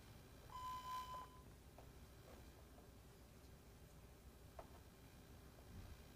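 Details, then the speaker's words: EGR/EVAP solenoid on the bench, driven by a Launch sensor and actuator simulator on power and ground: after a short tone, faint crisp single clicks every second or two; the solenoid is switching properly. "You hear the clicking? That's the EGR valve going on and off."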